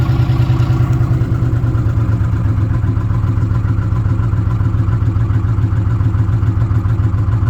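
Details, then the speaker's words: 2006 Ford F150 5.4L V8 with code P0016, bank 1, at warranty inspection: deep idle with quick, uneven clatter about three to four per second, located in the valve train up top around cylinders 2 and 3; valve train noise. "In the valve train up top. And somewhere in this area, so 2 and 3. That's just, I mean, that's about where the noise is coming from. That's what I'm getting at. It sounds like a valve train noise back there."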